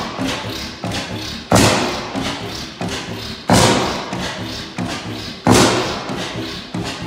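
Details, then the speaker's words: Kickstart 15 hp Bessemer oil field engine, about 120 years old, first start in 10 years: slow, even thumping exhaust beat, heavier thump every third; noisy but running healthily. "Good to hear it running. She is a noisy thing. All right, well, she does run still."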